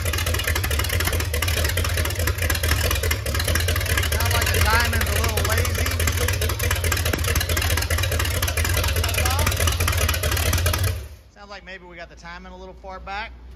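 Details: MerCruiser 7.4 V8 marine engine, starboard side, after removing number one piston and freeing up stuck piston rings, Marvel Mystery Oil burning off; deep loud slow slightly uneven idle, sluggish not crisp, timing possibly retarded, lazy rough idle.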